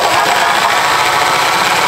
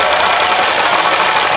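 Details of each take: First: Hand drill with a 3/8 bit boring angle iron for a workbench leg; loud howl with rough, irregular chatter and uneven cutting. The bit was found dull and chipped. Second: Drill cutting holes for the angle-iron workbench: steady gritty hiss with no squeal, producing chips, normal cutting.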